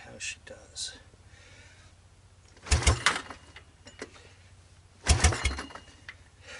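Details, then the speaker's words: 1986 Honda TRX200SX ATV that sat for three years, with a replaced carburetor, a patched intake manifold and a remote ignition setup, fueled, on choke, first cold start attempt: two short cranking bursts, spins evenly but never fires; crank, no start. "well sounds good it's not trying to start but it sounds pretty good"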